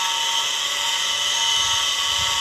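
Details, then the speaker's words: Deep-well water pump motor before bearing replacement: a loud steady high-pitched whine with a rough edge over the motor hum. Worn motor bearing. "เสียงที่ดังนี้ก็เป็นเสียงลูกปืนปั๊มครับเดี๋ยวคลิปนี้ผมสิมาทำการรื้อเพื่อที่จะเปลี่ยนลูกปืนของมอเตอร์ที่เสียงดังๆครับโอเคครับเดี๋ยวไปเบิ่งกัน"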